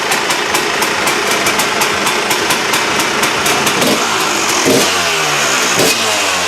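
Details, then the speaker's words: KTM two-stroke after replacing reed valve: crisp rapid ringing exhaust pops climbing cleanly with throttle, never stumbling; sounds a lot better than before the repair; healthy revving. "So there you go, guys. So that's it. That's how she sounds now. A lot better."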